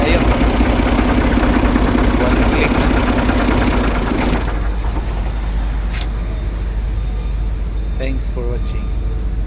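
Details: Forklift diesel, one of a JAC H100 10-ton, TCM 5-ton or TCM 2.5-ton, with hard starting: several seconds of steady cranking chug, about three beats a second, that dies away without catching. Won't fire.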